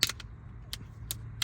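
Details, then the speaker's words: Hummer H2 rear liftgate that won't open, during lock actuator replacement: sharp, uneven snaps and clicks as the stiff latch breaks free, sounding rough and notchy; owner suspects this was the problem. "now it broke free. Did you hear that? That sounded rough. I'm hoping that's what the problem was."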